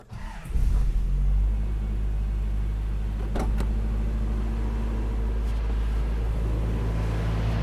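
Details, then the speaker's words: Toyota 4Runner engine after valve adjustment, first start with battery reconnected; catches and settles to a steady, slightly high idle with smooth low rumble, valvetrain much quieter with no ticking. "Seems to be quieter. Yeah. It seems to, I don't know if you can hear me stepping back from it, but it seems to actually be a lot quieter. Obviously the idle is still high, but I'm gonna back this thing up."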